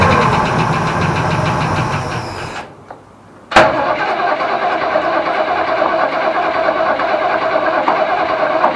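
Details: Holden HQ ute, sat 7 years, fed from a temporary hose off the fuel pump into a jerry can: runs, cuts out briefly, then catches and settles into a steady, fairly even idle; starts and runs after long storage.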